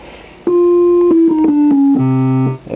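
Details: Vox Super (dual) Continental organ: each key gives a clean, steady tone with no stray minor-third bleed. The bleeding came from dirty ground bus connections.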